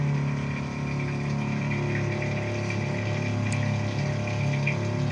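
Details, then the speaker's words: Steel Green spreader/sprayer pump during winterizing, circulating the left tank with return valve off: steady even low hum with smooth liquid rush, no surging or knocking. Normal pump circulation. "So now that we have that side circulating, we'll let that circulate for about 30 seconds again."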